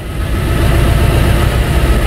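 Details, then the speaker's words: 2003 Ford Thunderbird on a cold 18°F morning: after electronic throttle defaults, idle turns low, uneven and lumpy, misfiring as it struggles to control idle; throttle control defaulting fault. "and we can hear the engine and the engine is now misfiring i can hear it so it's trying to control the the idle"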